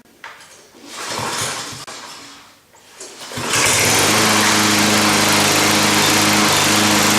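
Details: Cub Cadet push mower first start after reassembly, having had its gas tank and carburetor cleaned, a new OEM drive belt fitted and the transmission reassembled; after some handling it catches and settles into a steady, even buzz with no misses or surging. Runs properly.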